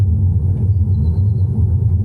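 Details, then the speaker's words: Tesla Model 3 driving down driveway and street after DIY upper control arm joint lubrication fix: steady low road rumble, no front-end squeak that previously occurred; suspension now quiet. "there we go no sound nothing absolutely nothing wow even going down my street it would make the sound I know it would make it but nothing"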